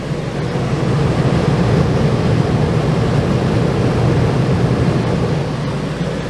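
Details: Travel trailer rooftop RV air conditioner reported not cooling: steady low rumble with soft airy fan rush, no rattles or surges; compressor measured at 11.6 amps, blowing cold air; normal operation.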